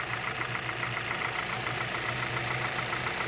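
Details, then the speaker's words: 2011 Hyundai Solaris, G4FC engine, 166k mileage, 15°C outside, coolant at 58°C, about 900 rpm: a light ticking knock appears from the top as the engine warms; owner suspects piston slap or valves tightening as clearances change. "так температура 58 обороты считай 900 начал появляться стук сейчас вот он появляется стук с прогревом"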